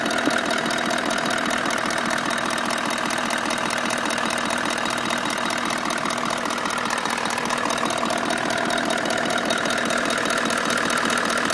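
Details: Toyota Land Cruiser 200 engine knock appearing only once warmed up, absent on cold start, present in P, D and N, not heard while driving, clearest left side behind filter: steady light ticking knock two or three per second at idle; cause unknown.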